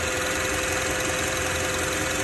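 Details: Idling car engine with a steady mid-pitched whine over a hissy idle from the power steering pump.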